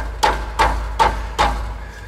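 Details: Subaru exhaust heat shield after being clamped down with a hose clamp to cure a metallic rattle at idle: four firm taps give clean metallic knocks with a short ring and no buzzing rattle.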